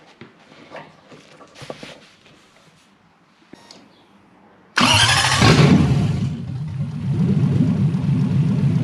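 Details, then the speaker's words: Lamborghini kit car, Toyota 1UZ V8 on a Link ECU with coil-on-plug ignition, newly wired: it catches sharply and settles into a steady idle without surging, though it is noted as idling quite fast. "run it up it seems to be idling quite fast here right yeah that's enough"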